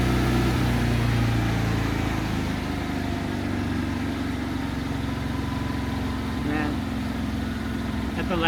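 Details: Hobart Champion Elite 225 welder after idle solenoid replacement, previously slow (about 10 seconds) to go to high idle; steady raised even engine speed with no hunting or stumbling; normal high idle.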